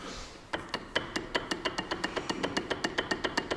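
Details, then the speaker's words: Lada Niva transfer case at 26,000 km, checked before fitting an AVT locker: sharp, evenly spaced knocks about four a second that quicken as it spins up. Play in the case, said also present on a new factory-good unit. "вот слот люфт слышно да я-то вот со заводская исправная раздаточная коробка и вот это все трансмиссионную стуки вот эти все присутствуют"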